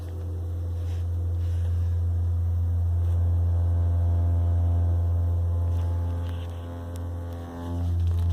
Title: 2018 Honda Accord Hybrid Humming Sound